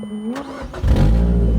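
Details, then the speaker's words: 2014 Mazda NC Miata at Gingerman Raceway: engine fires into a loud, raspy low idle with an open puffing edge; exhaust leak, suspected secondary O2 sensor fell out or its bung broke; no codes yet, runs fine. "yeah, bit bit of a leak. Definitely a bit of a leak. It seems like it's running fine."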